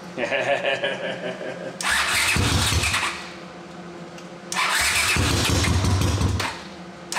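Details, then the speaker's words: 1979 Honda CX500 twin, rebuilt carburetors, first crank on a substitute battery with one ignition coil damaged: catches in two rough, lopsided bursts with uneven beat; running on one cylinder. "It's only going to run on one cylinder because I wrecked the one coil. But the coil is on its way, so we'll see what happens."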